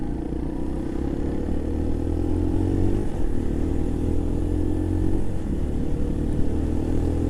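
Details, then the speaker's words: Keeway RKV 125 motorcycle, two weeks owned, riding: steady single-cylinder drone, then revs flare briefly during a shift as the throttle is left open; over-rev from rider not coming off the throttle enough. "Because that's what I do sometimes when I over rev. You hear that, that's where I haven't come off the throttle or not enough."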